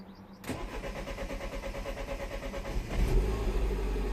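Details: 2010 Mini Cooper S 1.6 N14 after adding 5.2 kΩ pull-up resistor to crank/cam signal lines: about 2.5 seconds steady chugging crank, catches at once into smooth even idle, no warning lights.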